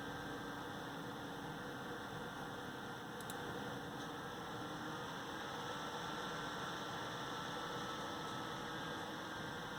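A steady airy whoosh with a low hum and no clicks or rattles, just an overly loud stock CPU fan spinning.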